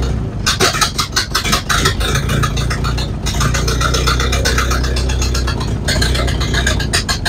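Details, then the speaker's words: Model A Ford cold start after sitting about four months on jacks, spark advanced, throttle set: uneven, lumpy misfiring running, worse than in January; owner suspects old ignition parts (cap, rotor, coil possibly from about 1970), not confirmed. "mixed results on that it started didn't run as good as it did in January but uh that's not much of a surprise"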